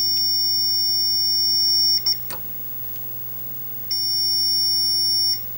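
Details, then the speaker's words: 1980 Atari Missile Command arcade PCB: logic probe on a 244 buffer, suspected to be the ROM data buffer, gives a steady high beep that drops out briefly and returns. The chip is never enabled, cause not yet known. "okay that all looks fine to me 244 244 244 this one is not enabled at all"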